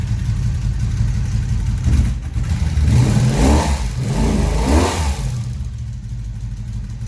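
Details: 1983 Honda Magna 750 V45 V4 after new head (ticking was a broken valve adjustment screw), about 100 miles since repair: deep, even exhaust rising and falling through blips, no knocks or ticks; normal revving.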